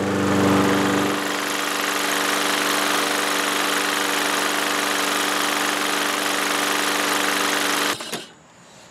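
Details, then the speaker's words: Toro Recycler 22-inch mower, single-cylinder Kohler with automatic choke, unused four years, started with starting fluid: steady, even drone at constant speed, no misses or surging until it cuts off; running properly. "all right one pull and it's back up and running"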